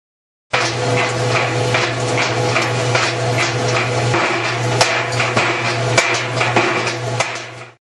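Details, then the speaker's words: General Electric dryer running with a steady hum and frequent irregular banging knocks from inside the drum; loose or broken drum baffles suspected as the cause. "Una de las piezas que tienes que comprobar son los deflectores dentro del tambor, para ver si están flojos o rotos."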